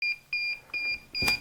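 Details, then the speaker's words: DJI Mavic Air remote controller: steady high-pitched beep two to three times a second, warning that the control sticks are not centered. "You know, when you get that beeping, the control is telling you that your sticks are not centered."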